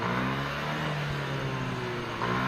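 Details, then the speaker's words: Yamaha NMAX/Aerox/Lexi scooter after installing VVA rocker arm, bodywork refitted: revs up smoothly with steady hum, no ticking or clatter from the top end; valve train quiet. "Kita akan menaikkan putaran mesin untuk melihat apakah ada suara atau tidak."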